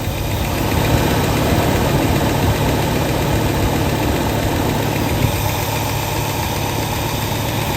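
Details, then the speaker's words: 1967 Lincoln V8 with a newly installed carburetor whose inlet port was moved to the driver's side: a steady, even low idle rumble with a faint high whine and no knocks or misses while warming. It is pretty smooth, better than the old carburetor. "very pleased it's uh pretty smooth"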